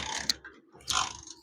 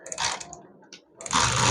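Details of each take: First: Motorcycle in rain, kick-started with a wet spark plug cap; sharp snapping crackles and hissy bursts, engine not catching: high voltage shorting at the plug cap, causing no start or misfiring. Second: Motorcycle kick-started after folded cardboard was wedged in to stop the spark plug wire shorting; short kicks, then the single-cylinder catches cleanly into a steady even beat of about four per second, running fine.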